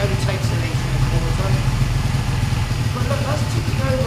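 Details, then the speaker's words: Honda Benley motorcycle single ticking over, timing and points not yet checked: steady, even low throb without knocks, misses or rattles; easy start suggests timing not far out; normal idle. "It sounds absolutely sweeter. And because it started that easily, I don't think the timing's a million miles out."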